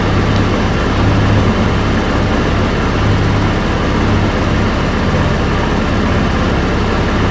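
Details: SYM Symphony 125 scooter running after battery replacement: steady, low, even engine drone, no ticks, knocks or misses; charging reaches about 14 V, good charge, scooter healthy.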